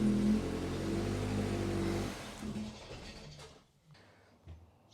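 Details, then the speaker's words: 2002 VW Polo 1.4 petrol, EPC light, code P1553, very low power; throttle valve opens wide but engine only drones low and dies away instead of revving. "you can hear the throttle valve opening very very wide but it not revving up"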